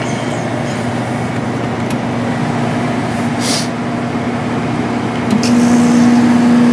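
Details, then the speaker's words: 1995 Sharp Comfort Touch 8,500 BTU air conditioner started before cleaning; even fan rush with a low steady hum firming up as the compressor settles; compressor sounds healthy. "there's the compressor doesn't sound bad at all"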